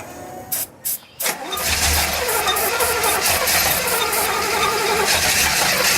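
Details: 1966 Chevelle rebuild, tried after priming cranks to build fuel: the starter churns steadily at about four beats per second but the engine never catches. Cranks without firing; cause not confirmed.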